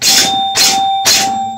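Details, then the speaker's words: Gottlieb Pro Football pinball machine after a ball-switch fix: three crisp, even bell rings about half a second apart from the 100-point score reel, suspected coil stop. Normal scoring bells. "listen to that noise that's the 100 point it's the score Rael it's not the what I believe that to be is the coil stop in the 100 Point score rail"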